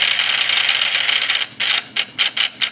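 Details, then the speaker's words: Points-type (platina) PS fish-shocker vibrator inverter: harsh high buzzing breaking into ragged uneven bursts; points glowing very hot, contacts burnt and pitted from the heat, identified as the cause. "Jadi ini deh guys penyebabnya. Platina kita mengalami gosongan atau berlubang deh, karena dampak dari panasnya platina ini jadinya berlubang."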